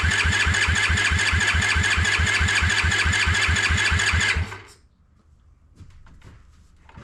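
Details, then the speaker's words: Honda ATC70 with a Piranha 140cc swap, first start: cranked with no spark to circulate oil, a steady, even starter chug about twice a second for four seconds, never catching, then it stops. "So, I'm going to go ahead and turn it over a little bit with no spark uh to let the oil go through the motor a little bit."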